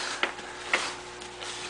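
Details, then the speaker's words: Briggs & Stratton ZH engine turned over by hand after the points were cleaned and refiled, a corroded wire replaced and good spark confirmed: sharp light metallic clicks about every half second, a definite knock. The cause is unconfirmed. "a definite knock in the motor so i'm thinking uh i'm thinking i'll pull the head off"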